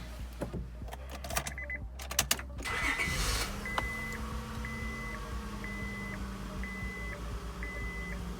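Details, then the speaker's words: 2001 Acura TL after an idle air control valve fix for P0505: the starter cranks briefly, then the engine catches and settles into a steady idle with a chime beeping; rpm back to normal, no misfire, check-engine light off. "perfect so there it is that was a simple solution simple fix for this 2001 Acura TL"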